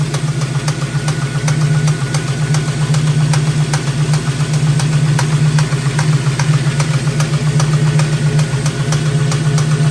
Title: 351c engine knock?